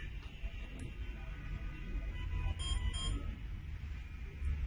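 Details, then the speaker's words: Two short high-pitched beeps in quick succession from the smart-home alarm host after pressing the delete button and holding 3 seconds, confirming the remote control was successfully deleted. "The 2 beeping sound you heard is an indication that the deletion has been successful."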